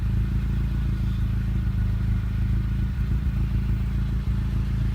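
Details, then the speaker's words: 1988 Honda Civic wagon at idle with a Magnaflow muffler. Deep, steady burble about three pulses a second, even and free of rasp or leaks. Healthy exhaust note. "it's got a Magnaflow I forget what series it is by 135 dollar muffler plus installation something like that it's not completely ricey but it sounds sounds decent"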